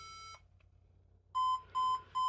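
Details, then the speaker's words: HP ProDesk 600 G3 Mini with a non-T (65 W) CPU, fan running, 90 W power supply connected: POST beep code three long then four short evenly spaced mid-pitch beeps, which a lookup ties to the power supply. "It does talk about that the 3 long and 4 short does talk about power supply, but we are already trying a 90 watt."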